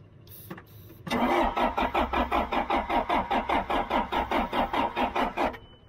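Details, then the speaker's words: Abandoned John Deere 310 backhoe cranked after spraying Liquid Wrench as starting fluid: steady starter cranking at about two and a half compressions per second for over four seconds, never firing; cranks but won't start. "That ain't doing nothing. That didn't work too good."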